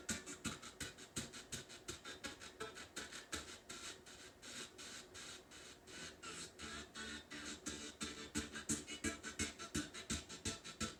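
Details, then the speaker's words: Heathkit AR-15 solid-state AM/FM stereo receiver under repair, FM tuner: audio chops in a steady pulse of about three beats a second, on either channel. The cause is unconfirmed and it may need alignment; pulsating audio. "all right so here's the fm tuner still doing the same thing with this that pulsating audio sound"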